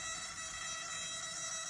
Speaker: the reason you can hear the buzzing on my servos is because they are digital and they're on load when you put any kind of weight on it it's you're loading the servos slightly they're just sensitive